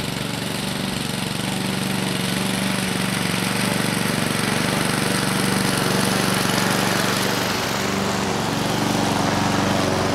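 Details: 2014 Husqvarna HU700F self-propelled push mower, Honda GCV160 engine: steady, even drone with a smooth consistent beat and no misses or surging; sounds healthy after the carb clean.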